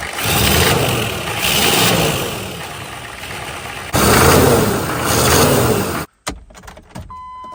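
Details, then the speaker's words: Diesel truck with new cheapest eBay turbo: starts and idles with puffing hiss over the rumble swelling with revs; exhaust leak from the turbo, suspected crack behind exhaust housing, wastegate feels wide open, unconfirmed until turbo pulled. "all right so clearly something's cracked behind the exhaust housing I'm not exactly sure but of course the only way to know is to pull the turbo out"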